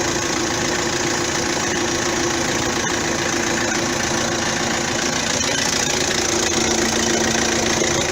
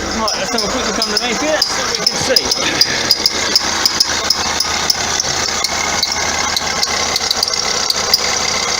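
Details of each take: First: 2009 Vauxhall Astra diesel after alternator and auxiliary belt parts replaced to cure a belt squeak: even idle with light clatter, steady speed, no squeal or grinding from the front; normal idle. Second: 2009 Vauxhall Astra diesel, complaint squeaky belt and knocking underneath: sharp high squeaks and ticks, roughly 80 a minute, over the running engine; alternator pulley wandering up and down its shaft, chafing the belt's inside edge; idler also suspect.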